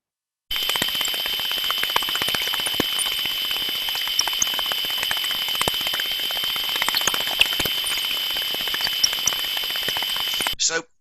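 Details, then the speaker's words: Ultrasound listening on the body of a gearbox, compared like for like with a smooth, uniform healthy unit: constant high squeal with scattered sharp repetitive impacts over hiss, suggesting damaged gear teeth and possible lubrication/oil level problem. "from this one we can hear the repetitive impacting sounds that could relate to damaged teeth within the gearbox itself we're hearing a high squeaking sound which also tells us there could be a problem with the level of lubrication"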